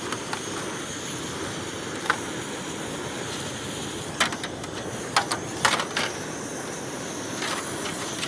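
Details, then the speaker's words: Backpacking stove in winter cold, fired after preheating: even steady hiss with a few small clicks, burner lit and running normally. "All right, you start to hear it. Once you start to hear it, it'll start hissing. There we go."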